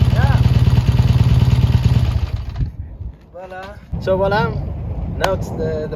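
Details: Triumph T140 twin after fitting new carburettors and clamping intake air leaks: thumps along with an even, steady idle beat, no misses or popping, then cuts out; engine running cleanly; normal running.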